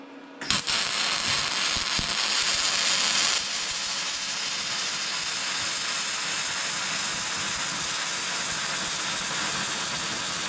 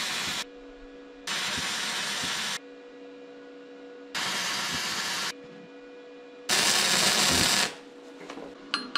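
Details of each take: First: Vevor MIG-250 welding with gas-shielded MIG wire: a harsh, loud hissing crackle lacking a steady fine sizzle, wild and spattery; the voltage is set a bit too high, though the weld still holds solidly. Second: Vevor MIG-250 running gasless flux-core wire on negative polarity with roughly set voltage and wire speed: short bursts of steady, even crackling sizzle with quiet gaps, little spatter; a clean weld with no lumps, leaving yellow dust.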